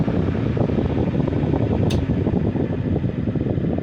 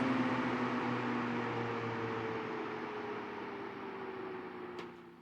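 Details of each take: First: Vintage Sears Kenmore 124.8055 fan on low setting: steady strong air rush with little drop from high, only about 15% slower instead of half; failed speed coil, later replaced by triac speed control. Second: Vintage Sears Kenmore 124.8055 fan whose failed speed coil gave little speed change, now on a triac speed controller; motor hum drops smoothly in pitch and loudness as speed is turned down, slowing evenly without stalling; normal fan speed reduction.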